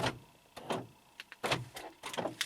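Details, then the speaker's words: 2012 Honda Accord sedan after replacing the front driver door lock actuator/latch assembly: locks cycling give uneven bursts of short buzzing clunks, another door's actuator clearly louder and rougher, starting to go noisy. "now that one's making noise. You gotta love it. If you haven't fixed Honda door lock actuators, you haven't owned a Honda very long."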